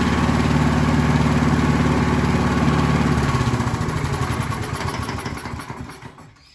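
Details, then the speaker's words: Scott Bonnar mower, Briggs & Stratton Sprint 375 4-stroke: fires with an even, steady beat, revs, then eases smoothly down and fades; healthy running. "Clearly the mower wants to run now. We saw that it just revved up quite nicely. It came back down to a nice idle."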